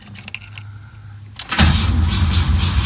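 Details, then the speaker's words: 1984 Pontiac Fiero, first cranking in over 30 years with likely no fuel in it: after keys rattle, the starter gives a slow, labored churn that never catches. Weak cranking; owner suspects the battery has the wrong cranking amps. "the battery is uh it sounds a little weak maybe that's the wrong cranking amps I'll have to find out"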